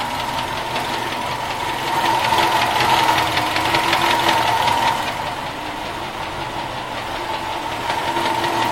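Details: Running engine with a sharp, fairly regular knock that grows louder as revs rise, then eases. Internal engine knock.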